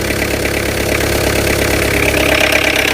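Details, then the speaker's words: Tata Indica V2 LS BS3 diesel idling with the glow plug fuse carrier removed: uneven clatter with irregular knocking about three times a second; rough running from the disabled glow plug circuit, which sounds like engine failure but is only the fuse carrier. "இது நான் இப்போ எடுத்தோன்னு இப்போ சவுண்டை மட்டும் பாருங்கள். Engine sound ரொம்ப மோசமாக இருக்கும்."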